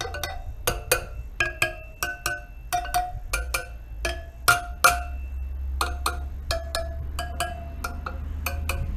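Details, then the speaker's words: Suzuki DR200 (likely 2008 DF200) wheel spokes tapped listening for dull ones, three broken or missing noted: sharp taps each giving clear bell-like ping, none dead; spokes ringing normally. "there's a third broken spoke there i'll just go through and basically listen for any dull sounding spokes"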